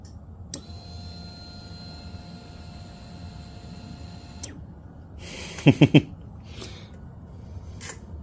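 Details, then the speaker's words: 2014 Triumph Bonneville T100, fuel injected, key on: steady high electric hum for about four seconds then clean cutoff; normal fuel pump priming. "yeah that's the fuel pump priming because that is fuel injection that is the nicest thing about these newer T100"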